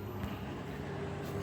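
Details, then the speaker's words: Microwave oven after repair and cleaning of grease inside, heating cold water for 30 seconds: steady low mains hum with no crackle or arcing snaps; working normally without sparking. "Xudo xolasa hammamiz ishlayapti, iskrasiz."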